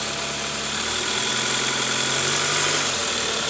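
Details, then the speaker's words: 2005 Toyota Camry 2AZ after timing cover and oil pan resealing and tensioner replacement: an even, steady idle hum with no knock or tick; the snoring noise is gone, confirming the tensioner was the cause. "Oke ini bunyi ngoroknya juga udah ilang ya guys alhamdulillah ternyata benar dari Tensioner analisa kita tepat ganti Tensioner SP"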